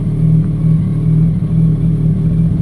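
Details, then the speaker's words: 2007 Yamaha R1 after replacing the worn clutch basket gear that had play and rubbed against the discs or walls: even low idle burble with clutch pulled in, no grinding; the previous clutch-in grinding is gone. "No noise. Push on the clutch. No noise. Push on the clutch. No noise."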